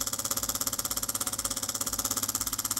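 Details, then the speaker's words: DeLonghi PrimaDonna Elite Exclusive coffee machine on a hot-water test with the circuit empty: rapid, even pulsing buzz of about fifteen beats a second with no water delivered; a clogged flow meter or the pump is suspected. "Listen, hot water, let's give it a chance, but it doesn't work at all. Maybe the pump"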